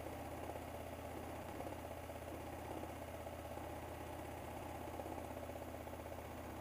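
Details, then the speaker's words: 2004 Hyosung GT250 Comet after carb cleaning and new fuel filter: steady even low idle putter, no misses or knocks; running well for its age, owner plans an oil change. "I definitely should give it an oil change sooner than later to really see if I can get the get it running a little bit smoother with that just because I don't know exactly how old do all this but it seems to be running pretty well for 2004"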